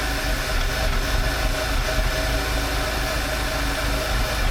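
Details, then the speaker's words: 2011 VW Passat at idle with failed PCV valve before replacement: loud idle with uneven, slightly lumpy beat that picks up then drops as vacuum returns, a little whir below; code bank 1 system too lean at idle. "That's really, see how it changes, it picks up there for a moment until it gets that vacuum going back on again."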